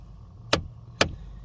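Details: Chevy Cobalt / Pontiac G5 (GM) HVAC recirculation door actuator clicking about twice a second at startup, skipping on a worn final gear; fixed by zip-tying the door so it no longer reaches that gear.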